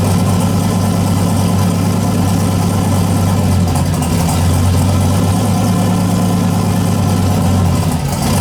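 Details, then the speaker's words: Boosted petrol engine being tuned after an incorrect O2 sensor setting caused poor running: closed-loop fuel control hunts at idle after startup, a slight rise and fall in the hum; owner plans to slow the idle correction. "all right closed loop at idle is a little bit you can hear it it goes 20 like 11 2011 so I got to slow it down around idle"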